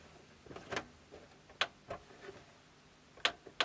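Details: Sharp CD-JX20X boombox CD section: a few sharp, uneven clicks from the disc mechanism over a quiet room; it reads the disc's table of contents almost instantly but doesn't start playing at first.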